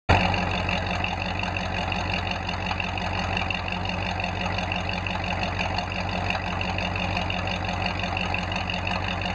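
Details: Ford F5 (American V8) started after a long layoff and a check of engine oil, ATF and coolant: steady, even V8 idle with deep, regular exhaust burble, no knocks or misses; healthy.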